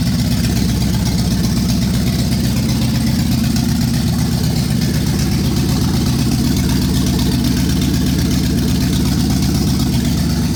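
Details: 1965 Ford Galaxie 500 LTD 352 big-block V8 on its final run before removal idles with a steady deep knock, about four raps a second, from a bad rod bearing; block also cracked.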